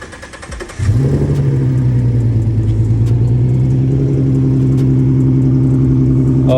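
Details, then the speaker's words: 2017 Ford Mustang 3.7L V6 first start after NGK spark plug change (one step colder plugs), upper intake reinstalled: brief crank, then a fast, steady, even cold idle with no misses or knocks while the engine adjusts; normal cold start. "you can hear her adjusting for sure she was not used to those new spark plugs everything's adjusting now i'm sure relearning the one step colder spark plug so yeah successful start everything looks good"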